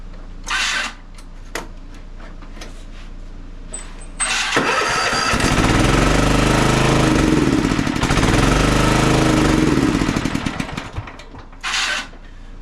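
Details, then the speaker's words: Toro TimeCutter MX4200 zero-turn, previously smoking, oil level fine and no fuel in oil, choke taken off: cranks, catches and runs rough with surging speed, then dies; stalls without choke due to a dirty carburetor. "now when I go to start it up and bring it back in it won't run whenever I take the choke"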